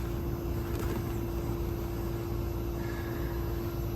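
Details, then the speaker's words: 12,000 BTU mini-split heat pump outdoor unit at about 29°F in winter, in defrost mode with the outdoor fan off: steady low rumble with constant mid-pitched hum and no fan swoosh as something ramps up; normal defrost cycle. "can actually hear it I don't know if you can hear that noise but something's ramping up in and [Applause] there and notice that the Fan's not even on"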